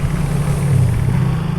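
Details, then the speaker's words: Yamaha Fino FI (code 54P) that hesitates at 3000–4000 rpm: low buzzy note whose loudness wobbles unevenly; low-rpm hesitation remains, and the pulser-to-ECU cable socket is suspected next. "tapi di putaran bawahnya ini masih kerasa ini masih terasa agak brebet ya"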